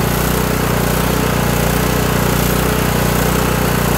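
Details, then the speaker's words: Kohler Courage 18 single-cylinder engine on a Toro lawn tractor surging badly at idle, uneven pulsing beat with wavering speed and governor linkage rod hunting; carburetor has non-adjustable jet, later fixed by adjusting low idle screw. "this engine likes to just surge like crazy so let me fire it up and show you what i'm talking about"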